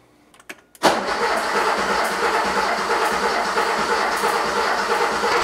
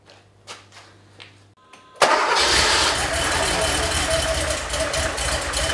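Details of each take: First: Porsche 911 3.2L Cabriolet after injector cleaning and reassembly, cranking with fuel pump relay and coil lead disconnected to build oil pressure: steady starter cranking, no firing, slightly lumpy beat about three per second, cause unclear. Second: 3.2L Porsche 911 Cabriolet, first start after head studs replaced, injectors cleaned/resealed and old dark fuel drained, spark restored: brief crank, fires straight into steady even idle, shuts off, restarts cleanly.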